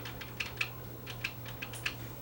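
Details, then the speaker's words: Sony UVW-1400 Betacam SP deck powered on after capacitor replacement with dead displays. Sharp irregular relay clicks over a low hum show the unit has power, but the displays stay dark; a shorted zener diode or transistor is suspected, not confirmed. "up so I can hear it clicking so I know the unit's got power but this still doesn't have any juice"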